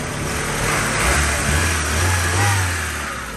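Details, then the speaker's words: Honda Civic EK sedan that cranked but wouldn't start, fixed by replacing the fuel pump: engine revs up and settles smoothly, steady low rumble without misses or knocks; healthy and even, normal revving. "all right so the car started it's running here no rough i don't know nothing you want a gun as you can see it's not a rough or nothing bro"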